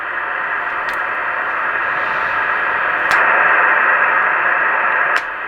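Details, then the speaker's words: Kenwood TS-700S receiver after the preamp relay repair and electrolytic capacitor replacement, switching the preamp on with no input signal: steady hiss steps up clearly in loudness as the additional amplifier stage kicks in; normal receiver noise with preamp on. "you hear the increase in the noise. That means an additional amplifier is in the stage."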